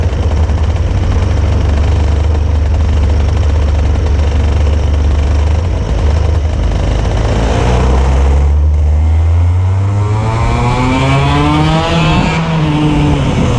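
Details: Hard start: long low drone of cranking for about seven seconds before the engine catches and revs up, then settles.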